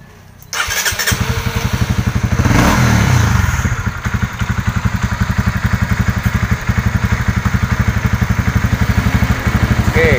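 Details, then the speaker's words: Honda CB150R after service for a stumbling (brebet) complaint at low and high rpm, fuel pump filter replaced, fuel pressure now near 40: short crank, catches at once, brief rev, then even steady idle; idle now normal. "dan untuk langsamnya Mas Bro di sini juga sudah normal"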